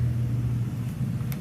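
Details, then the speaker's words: Small AC condensate pump running nearby: steady low even drone, no rattle or grind; annoying but operating normally. "It's very annoying. It's just a condensation pump for the AC unit."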